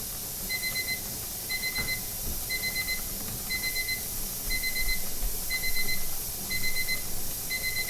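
Bright beeps in short bursts about once a second, steady over a quiet room; the kitchen timer is sounding its alarm as normal.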